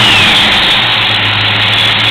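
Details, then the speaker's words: Original 5.0 V8 Fox Body Ford Mustang, manual, rebuilt from abandoned shell, completely cold first start of day (header not warm), new clutch fan: catches straight away and settles into steady even run, no knocks, ticks, rattles or smoke; healthy. "see it starts right up and runs and no noise whatsoever anywhere"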